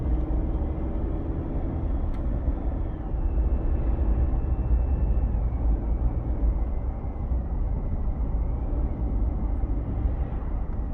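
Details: 2022 Chevy Silverado 2.7 L turbo while driving: a low steady hum under road rumble, its tone shifting with speed. Others say it is normal for the turbo; the owner doubts it.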